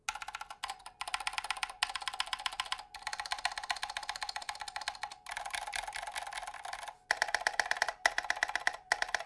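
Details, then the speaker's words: Fast, steady typing on a Drop Mercury Rocketeer mechanical keyboard with KBDfans Laser switches and no foam fitted; a faint metallic ring trails the keystrokes. It is switch spring ping, not stabilizer rattle. "that's all the spring noise this is not the rat stabilizer is the spring noise just going in here"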